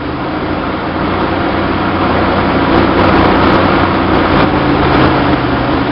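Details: 1966 Chevy Sportsvan with stock 230 inline-six and new Weber 32/36 two-barrel carburetor on stock manifold: idles fast and gets louder as the throttle closes, a vacuum leak causing high revs.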